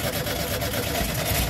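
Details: VW Beetle-type engine in a stalled Combi that won't start: once fuel is poured in, it catches and holds a fairly even, burbly idle, pointing to a fuel problem; failing fuel pump suspected.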